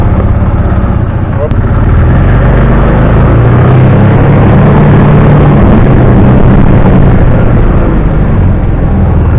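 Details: 2009 Kawasaki Teryx 750 fuel-injected, after fix for warm backfiring and power loss (nail inserted in center section): deep, even engine drone, no stumbles, pops or dropouts — runs perfect.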